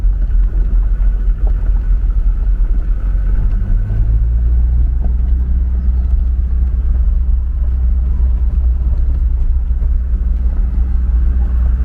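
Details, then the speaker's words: Mercedes 240D diesel under way after fuel injector repair and valve lash adjustment, previously clanking and smoking: smooth, deep, steady rumble with no clanking or rattle; normal running diesel engine. "this is incredible it's runs so nicely I hasn't run this nice ever this is great"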